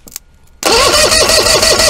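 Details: Force 120 hp two-stroke outboard cranking during a compression test: starter spins briskly with even compression pulses, no skips or drag; about 132–142 psi, outer and middle cylinder pairs match, likely a good engine.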